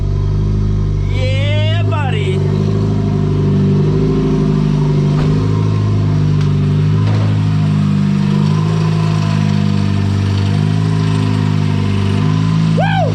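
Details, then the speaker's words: VW Golf 3 with a 1.8T swap on a 3-inch downpipe: a loud, deep, steady idle with heavy turbo noise and no hunting or stumbling. "but yo starts right up now there's not a massive leak on the intake idle's no problem feels good feels good"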